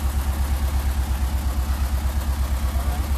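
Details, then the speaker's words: Ford SOHC 2.0 Pinto engine with twin Weber 40 DCOE 151 carburettors in a Sierra-based kit car, idling before balancing: uneven lumpy idle about three beats a second; carbs deliberately out of balance, to be synchronized with an airflow meter. "this is often what what your engine will sound like when you first put a pair of four T's on it so whatever engine you got this doesn't sound too bad but it is out of balance we've done that on purpose"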